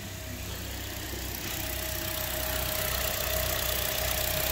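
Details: 2008 Toyota Corolla ZRE152, 151,000 km, after a misfire and shudder traced to the cylinder 3 ignition coil; new coil and spark plugs fitted: steady even idle, faint constant whine, no stumbles; normal idle.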